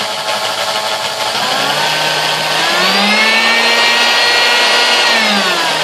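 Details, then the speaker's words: Sunbeam Mixmaster 1-8B, oily and crud-packed, first plug-in before service: motor whine drifting, dipping and climbing instead of holding steady; speed control fault. "all right not bad it's got some issues you know you can hear it speed control there"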